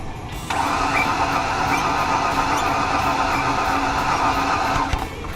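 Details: 2007 Ford Ranger that won't start after being in a ditch, with a little octane booster added; steady quick cranking never fires. A compression test later showed no compression.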